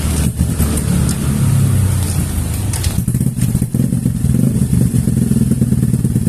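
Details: Yamaha NMAX single-cylinder scooter engine, bored up with a 57 mm Vixion-type piston and already broken in, revs up and settles through a strong, even drone with no knocking or rattle; sounds healthy.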